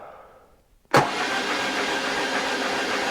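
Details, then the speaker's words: High-mileage BMW R1150GS, cranking on the starter with spark plugs removed, oil pressure light initially staying on: spins fast and evenly with no compression pulses or knocks; free, healthy cranking. "that doesn't actually sound too bad I'm quite pleased with that obviously the plugs are out so it is spinning over quite freely"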